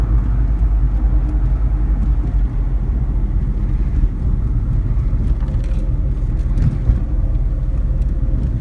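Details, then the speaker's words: Test drive after replacing a front sealed wheel bearing: only smooth, low road rumble, no growl or rising hum at speed, no vibrations; quiet wheel bearing. "Okay. No vibrations, no humming. Seems like we did the job."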